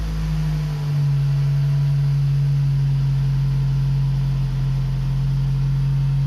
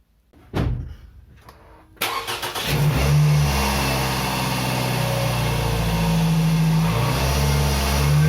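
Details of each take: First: Toyota RAV4 2.0 1AZ-FE after rebuild for a connecting-rod knock at 2200 rpm (new timing chain and guides fitted): engine catches and settles into a deep, even hum with no knock or tick, healthy smooth idle. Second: Toyota RAV4 2.0 1AZ-FE petrol, 228,000 km, held at 2,200 rpm; deep knock under the drone, not heard at idle, persisted after timing chain and camshaft replacement; suspected connecting rod bearing, not yet confirmed.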